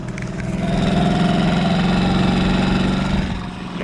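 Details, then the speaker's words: Honda P50 (P25) wheel-mounted 4-stroke moped engine, long unused, owner suspects slightly clogged: small single-cylinder putters with loping irregular beat as revs swell and sag; uneven running. "ça fait longtemps qu'il a pas tourné peut-être un peu bouché mais après voilà c'est ça reste pas défoudre de guerre"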